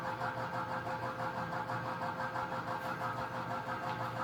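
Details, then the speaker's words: 1982 Emerson 24-inch whole house fan, newly installed: steady hum with fast rattling buzz about three per second; outer wire mesh screen bolted on is vibrating with the fan and needs tightening. "there's a wire mesh that goes on the outside prent anything from coming in and that's low and it's vibrating with the fan and it's it's bolted on there I'll just have to tighten it but uh that's what that sound you hear"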